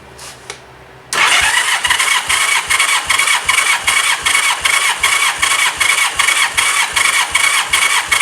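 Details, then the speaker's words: 1985 Honda Gold Wing GL1200 compression test with throttle held wide open and a helper battery connected: starter cranks evenly, two to three beats a second with no skips; almost 140 psi read, close to the 140–150 spec, so the cylinder is healthy. "Looks like almost 140 on the nose, I think. I looked it up quickly. It seems like 140 to 150 is where you want to be on these bikes. I think that cylinder is healthy."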